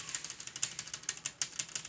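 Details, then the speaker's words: New Consul inverter 7000 BTU split air conditioner, indoor unit: fast, even tinny clicking like a ratchet, about seven a second, sounding like raindrops at night; a panel screw was found loose, source not yet confirmed. "e fala para mim eu tinha hora e parecia que tava dando uns pingos aqui de chuva aí eu acordava abre a janela abrir a janela não tava chovendo era aqui ó"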